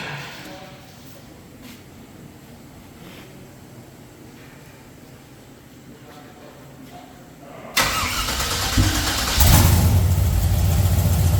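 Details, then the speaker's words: 1964 GMC truck V8 after the swapped fuel feed and return lines were corrected; the starter catches and it fires into a strong, steady, even idle; normal start and idle. "all right all right so it starts it runs give her"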